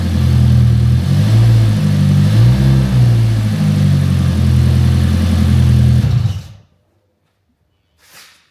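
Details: Fiat Punto GT Turbo petrol engine, first run after a long restoration and newly fitted replacement injectors: it idles with an uneven, wavering beat that dips and recovers before being switched off; slightly lumpy idle, cause not confirmed.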